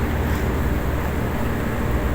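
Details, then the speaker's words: HVAC replacement compressor test-run before installation after pressure check gives a steady low hum with an even drone, no knocking or rattling; normal compressor operation. "Pero final check nito, kailangan paganahin natin para 100% sure goods yung compressor. Tulad nito. Diba? Ayos. Goods na goods."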